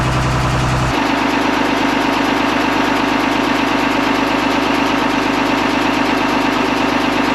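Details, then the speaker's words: 45-year-old trawler's inboard engine idling with a steady light tapping about three times a second, stalling at low RPM since Hurricane Nicole. "we've been having problems with our engine ever since hurricane Nicole and uh you can hear a tap tap tap tap tap sound while it's running and it's been stalling out at low RPMs"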